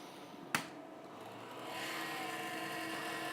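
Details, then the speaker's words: Wombot Exilis 3D printer with newly installed BPS V3 extruder, switched on for a check: click at switch-on, then a rising, steady airy whirr with thin tone from noisy cooling fans; bed and extruder reading 14–15°. "you'll have to EXC use these fans are a little bit noisy at first"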